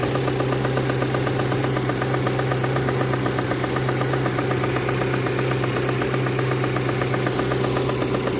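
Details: Proton Campro engine: rough idle with a fast, busy rattle about four ticks a second over a deep hum; faulty intake manifold flap, fixed by replacing the manifold/adjuster kit; causes power loss and high fuel use.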